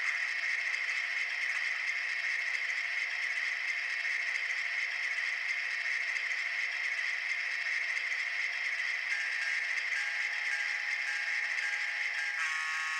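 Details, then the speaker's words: Broadway Limited Imports N-scale SW7 locomotive during its startup sequence after the standard break-in period; steady, harsh high-pitched grinding drone under the startup sounds, from the locomotive itself, not the sound effects; dry gears grinding. "Except you probably noticed that awful grinding sound that you heard that was not part of the sound effects, but was actually the locomotive itself."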